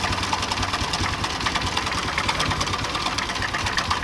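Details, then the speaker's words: Honda Revo Absolute with top engine cover open, before repair: fast metallic clatter constant at idle from a visibly very slack cam chain. Loose cam chain rattle. "Loh, tuh lihat si keteng itu kendor banget ya, tuh."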